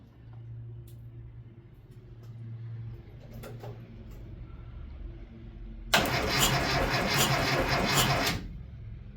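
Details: Classic Mini: quiet, then a strong even starter churn for about two and a half seconds; a missing engine earth strap was found as the cause of no-crank.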